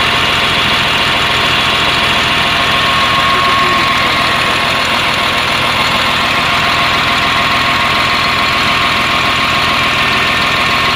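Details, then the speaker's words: CAT 950H wheel loader diesel idling with a loping, uneven misfire and low power; error 36/1-5 points to the number one injector circuit (open or short), leaving one cylinder dead. "so there will come less power of the machine because one injector is not functioning"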